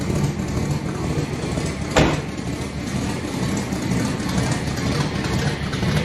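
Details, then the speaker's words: Engine on its first run in a few weeks in cold weather, 5.5 psi running: settles into even, steady idle with one brief clack near start, no persistent knock; owner suspects a noise from power steering; normal idle. "Let's see. Oh, that sounds good. Sounds real good."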